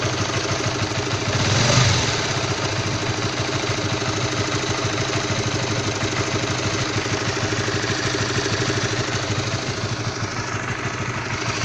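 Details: Honda CB150R, all-new and fully stock, single-cylinder cold idle with a rough, uneven tapping knock about three times a second riding on the exhaust beat at low temperature; cause unclear.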